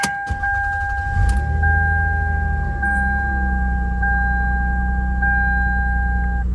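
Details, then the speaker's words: 2001 Lexus ES 300 Coach Edition, about 186,000 miles, at startup and idle: constant high thin squeal over the smooth V6 idle; worn serpentine belt needing replacement. "you can probably tell already it needs a new serpentine belt so we'll have to take care of that"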